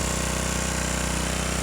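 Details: Craftsman 550E power washer with new carburetor: fast, even single-cylinder firing at steady speed with no surging or sputter, running cleanly and healthy.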